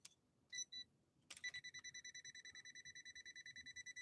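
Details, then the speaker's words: Sewing machine from London, England, on a step-up converter: evenly spaced tester beeps, about 85 a minute, in a quiet room, showing power at the foot controller, which briefly ran the known-good motor; a faulty foot controller socket is suspected. "we're getting electricity to the foot controller but we're not getting a clear response from the foot controller in powering up the motor"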